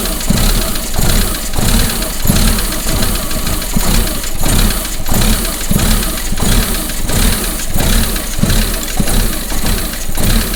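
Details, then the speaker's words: Engine idling roughly with a heavy low bang repeating about 1.5 times per second, source unknown; recurring pressure sensor error, sensor already changed. "hopefully you could hear that banging i mean what the hell do you think that banging is"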